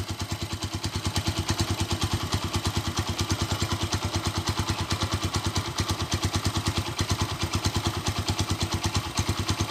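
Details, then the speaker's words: 2012 Honda Tiger Revo (Tirev) single, stock, long unused: steady even idle with quick regular firing and light tek-tek ticking clatter; normal idle. "Ini adalah stasionernya, untuk geberannya kalian bisa dengar."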